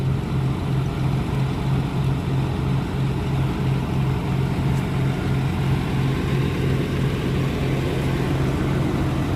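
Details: 1995 Blazer V6 started after a clip came off. Steady low engine drone holding an even note, with no knocks, ticks or grinding. It sounds normal, though it didn't like taking gas.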